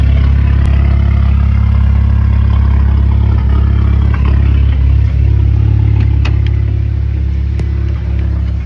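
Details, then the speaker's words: 2010 VW GTI 2-door after engine rebuild, fourth start, fuel nearly 2 years old: loud uneven idle with lumpy stumble about three times a second; audible misfire at idle, possibly from stale fuel. "You can hear the audible misfire. And the gas that's in this is nearly 2 years old."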